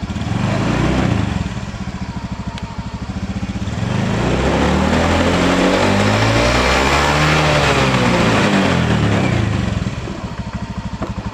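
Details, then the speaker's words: Honda Beat FI scooter that was cutting out suddenly, after a new battery and new spark plug: starts cleanly and revs up and down smoothly with an even, steady exhaust note; problem fixed: normal revving. "Oke untuk permasalahannya atau kendalanya sudah bisa di atas ya ini sudah Mantap sudah jadi"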